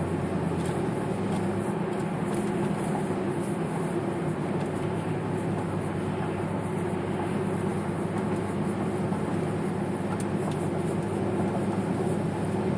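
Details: 2009 Chevrolet Impala LTZ at cruise: steady low howl/hum/wobbly drone from the front end under road roar, louder inside the car; tire noise suspected, unconfirmed.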